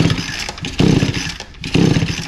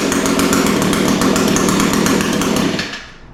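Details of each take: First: Echo SRM 225 line trimmer with recoil starter refitted during repair: three quick rasping test pulls turn the small two-stroke freely and evenly, no binding or scraping; normal recoil start pull. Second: Echo SRM 225 line trimmer after recoil starter repair and ignition coil replacement screams at full throttle, drops to a soft slightly lumpy idle, snaps back; runs, idle sounds a touch rich, cause suspected.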